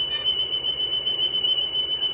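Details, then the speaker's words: General Electric cassette recorder from junk lot, playback of its own recording: steady ~3 kHz test tone with faint pitch wavering, about 0.8% wow and flutter, drift on-speed. "and we're down to about 0.8% wow and flutter. Our drift is pretty much on, so it's not changing the frequency of the recording at all."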